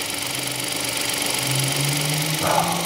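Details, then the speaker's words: 2015 Hyundai i10 1.0 litre petrol after timing chain replacement: steady, even idle hum with a smooth light whir, no rattle or tapping; the earlier shushing noise is fixed. "certainly fixed the problem"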